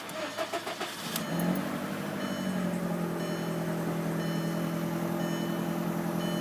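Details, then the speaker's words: 2003 VW GTI that wouldn't start (dead battery from lights left on), started after charging: cranks a few beats, catches, and settles to a steady even idle with no knocks or stumbles; healthy. "so everything looks good so I would say just the problem was is leaving a lights on"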